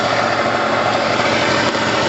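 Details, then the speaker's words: Pulse Force 50cc two-stroke, freshly rescued, cold start on choke with lots of oil and smoke: steady busy buzzing idle held high, no misses or surging; revs should drop once warm, carb adjustment pending. "So when we hear the revs settle, then we know the choke's off. Then we adjust the carb one final time. And then, you know, every time it's always going to idle high until it's warm, and then it should drop to the perfect level."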